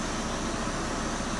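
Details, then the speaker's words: Car's air conditioning working again after a simple fix; vents read 9–11°; a smooth, steady air rush with no rattles or cycling noise: normal air conditioning operation. "eu nosso ar condicionado voltou a funcionar"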